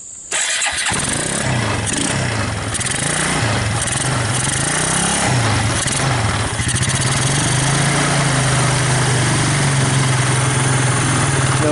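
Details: Suzuki KingQuad 300 4x4 ATV, first start after converting from Mikuni to a Keihin clone carburettor, on choke: single cylinder catches right away, stumbles a little, then settles into an even, steady idle; running normally.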